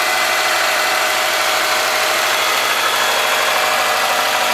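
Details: 2003 Subaru Forester boxer, 178k miles, ~150 miles after head repair for a dropped valve guide, cold idle. A fast, light tick rides over the hiss: the driver-side front exhaust valve clearance was .029 instead of about .010. Fixed by adjusting the clearance.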